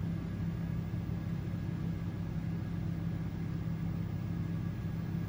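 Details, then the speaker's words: Honda EU2200i inverter generator, 106 engine hours, recreational gas, on a 2019 Grand Design Imagine 2400BH running a 15,000 BTU Coleman Mach 15 AC with no soft start on cool low: low drone settling into an even, firm hum. Carrying the load normally. "all right let's let's let it run let's see if this air is cool pretty cool so kicked on on low cool just fine"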